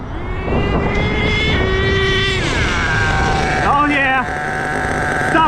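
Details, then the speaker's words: HPI Savage 21 nitro RC truck with rebuilt Dynamite .28 engine on a driving pass: engine screams up and down through the revs, pulling cleanly, instant wheelies; brakes could use work; normal running. "Could use a little work on the brakes though. But it's a runner, baby. Instant wheelies."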